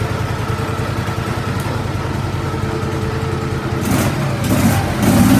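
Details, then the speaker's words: Small single-cylinder engine on a home-built mudding mower, started after a second carb cleaning and fresh gas: thumps evenly at idle, then picks up smoothly on throttle blips, sounding healthy; normal running. "We did get it running properly. I cleaned the carb out again. I'll start it up here and I'll let you listen to it."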